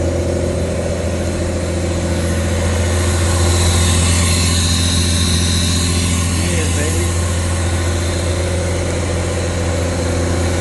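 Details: 1985 Pontiac Fiero GT, start after replacing the bad alternator plus MAP, intake temp and temp sensors, battery and rusted connectors: fires up and holds a smooth, even low rumble at a steady beat with no misses or stumbles; normal idle.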